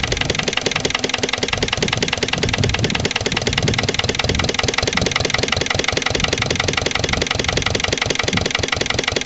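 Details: Lister LD1 single-cylinder diesel on a chilly morning, after a fuel filter change and bleeding. Slow idle thump just under three beats a second, not quite even. Owner suspects the injection system isn't right, possibly a missed bleeding step.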